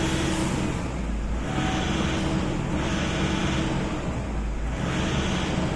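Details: Toyota Innova diesel with occasional sudden stalling, during a fuel system leak test: idle surges and sags about every two seconds instead of holding steady; unstable idle from a fuel system fault.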